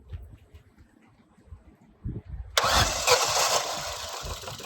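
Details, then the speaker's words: Ford Fiesta bought at auction as mechanical fault, first start on battery pack: slow weak cranking, then an uneven stumbling idle, misfiring but not knocking; compression testing later found a burnt valve. "Well, it's alive. I mean, she's misfiring. It's running. It's not knocking. There's a bit of a misfire, I think."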